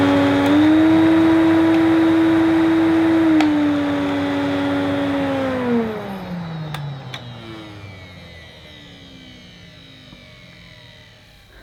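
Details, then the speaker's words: Electrolux 380 Turbomatic vacuum cleaner, first run after purchase: steady motor whine sags in pitch, holds briefly, then winds right down, speed varying slowly with a ticking heard; motor not holding even speed, cause unconfirmed, owner considering contact cleaner. "I thought it my idle varies very slowly I can hear it very just ticking ticking so that's not quite right as it"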